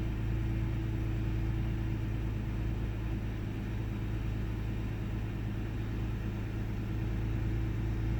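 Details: 1998 Ford Taurus SE OHV V6 at idle, hood open: low rumble with uneven lumpy beat, sputters, misses and mild rpm dips; earlier it fluctuated 400-1000 rpm with no warning lights. Intermittent rough idle, cause unknown.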